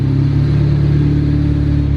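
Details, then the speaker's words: Honda Del Sol, stock D16Z6 with eBay turbo kit, during idle tuning, air-fuel around 11: even steady idle, smooth pulse, firing on all four cylinders; normal idle. "seems like uh seems like it's hitting on all four so that's good"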